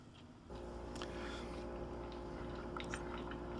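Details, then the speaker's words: Hand-cranked wooden roller gearing model from the Making Mechanical Marvels book: steady, even whir of wooden rollers turned by hand, no catches, knocks or grinding; runs smoothly. "this model always amazes me at how smoothly it operates"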